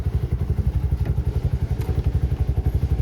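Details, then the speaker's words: Auto rickshaw idling just after starter motor repair, freshly restarted: steady even low thumping about four beats a second, no misses or clatter; sounds good, expected to settle further in a couple of days; normal idle. "ಸ್ವಲ್ಪ ಒಂದಎರಡು ಎರಡು ದಿನ ಹೋದ್ರೆ ಸ್ವಲ್ಪ ಇನ್ನು ಸ್ವಲ್ಪ sound ಎಲ್ಲ change ಆಗುತ್ತೆ ಇವಾಗಲೂ ಚೆನ್ನಾಗಿ ಸೌಂಡ್ ಬರ್ತಿದೆ"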